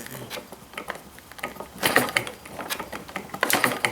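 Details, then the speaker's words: Stirlingkit hit-and-miss model gas engine. Sharp, irregular snapping clicks about every two seconds over quiet ticking; spark is arcing through the thin spark plug wire insulation to ground, weakening the spark and needing better sheathing. "oh yeah it's definitely jumping through that thing so that's probably not good i need some other kind of sheathing on that i guess it's so thin too right i can hear it snapping here"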